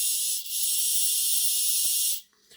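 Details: Hornby R751 Class 37 model locomotive motor after gear meshing check and oiling both sides of the bearings; smooth steady high whirr, no grinding or chatter, then winds down, much quieter than before.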